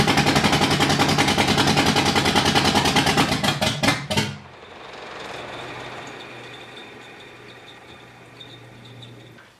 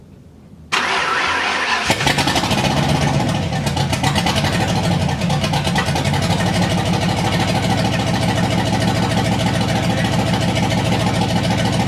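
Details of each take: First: Freshly rebuilt Driftstang at first start after the new build, with the water pump just replaced: heavy, uneven chuffing for about four seconds, then it dies and barely runs. Distributor suspected 180° out; plan is to rotate the crank 180° and re-time. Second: Freshly rebuilt Driftstang V8: starter whirs, it catches within a second and settles into a steady, even, lumpy idle with no misses or stumbles. It runs clean and normally.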